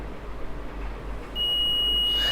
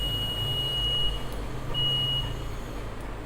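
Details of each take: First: Multimeter test of an LED: steady high beep for about a second as it conducts straight through, meaning this LED is blown/shorted and dead; shorted LED continuity beep. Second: Multimeter set to diode mode, probes touched together to check leads and terminals: clean high-pitched beeps each contact over low background hum; normal continuity beep, terminals working.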